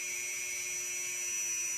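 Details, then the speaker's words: Brushed RC trail-truck motor spun up with brush timing set to zero: a steady, even high-pitched whine with no rattle, lower in pitch than at 12° advance. Normal running at zero timing. "so I'll start at zero and actually just spool her up and let you listen to it a little higher there little higher pitch"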